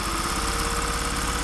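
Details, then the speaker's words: Singer 404 sewing machine, just serviced, refitted with a Golden Touch & Sew 620 motor and pedal, switched to fast and running at full speed: fast, even buzzing whir with steady pitch, no knocks or stumbles; normal. "so you can see the speed control it's very good if i barely press this pedal down here this is what i get and then if i flick it over to fast"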